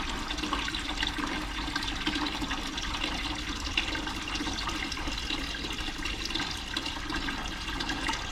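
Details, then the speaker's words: Boiler hydronic floor heat, barn start-up after thermocouple, vent damper, burner cleaning, new pilot assembly and expansion tank; continuous rushing hiss of water with slight air gurgle, flowing down through the zones, normal flow. "it seems to be flowing seems to be flowing through in here I can hear the water and it's going out here and going down through the zones"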